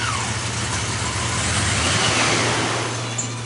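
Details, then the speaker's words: Engine just after a throttle body cleaning, first start: uneven, lumpy running with a ragged low beat and heavy hiss as the cleaning chemical burns off. "now this is how it's gonna sound it's gonna sound like a piece of junk when we crank it up okay that's right that's all that chemical being"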